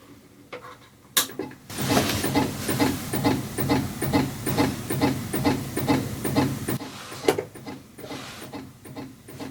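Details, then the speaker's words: Vintage Macintosh Plus at first power-on before recap; regular soft clicks about twice a second over a quiet hum, floppy drive head stepping but screen stays dark and the computer does nothing else. "huh okay well that's definitely an issue it sounds like the floppy drive is indeed moving but it doesn't look like the screen is coming on or that the computer is doing anything else"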